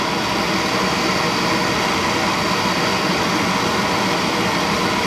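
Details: Suntec A2VA single-stage oil burner fuel pump, bled through a hose into a container with the filter not changed: steady, even whirring hum at constant pitch with no gurgle or surging; no cavitation or air bubbles, pump running normally.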